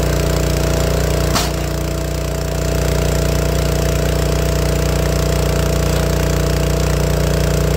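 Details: Honda GX160 on a log splitter, cold engine: steady chugging broken by a sharp pop; popping and coughing worsening after warm-up until it stalls, air cleaner already replaced, symptoms pointed to dirty carburettor.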